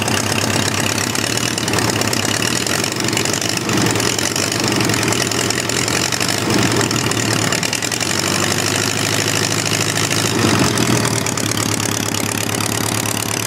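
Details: Homemade four-cylinder Briggs & Stratton engine after starter/generator replacement, having sat all winter: a steady, even idle with a constant buzzy exhaust note and no knocks or misses. Normal idle.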